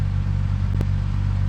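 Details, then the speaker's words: Ford Maverick with its 250 cubic inch six, all-original factory air conditioning, idling as it warms after standing in the yard: quiet even low idle, steady rumble, no ticking or misfire, one brief clatter aside. Sounds good and quiet. "actually sounds pretty good. Sounds nice and quiet."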